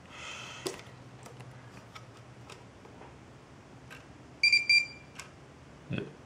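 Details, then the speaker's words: LTL Acorn 5210A trail camera; quiet room with light clicking ticks as the orange infrared filter behind the lens moves back and forth, plus a couple of short beeps. Normal IR filter clicking. "you sometimes you'll be able to see a little orange filter which moves back and forth and you can also hear that I saw like a clicking sound"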